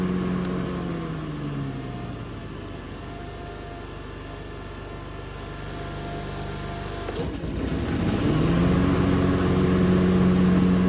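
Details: Hustler FastTrack SDX mower with heavier X-blades: engine hum sags, a clunk as the blades engage via the clutch, then revs climb back to a heavier, labouring drone under the extra blade weight.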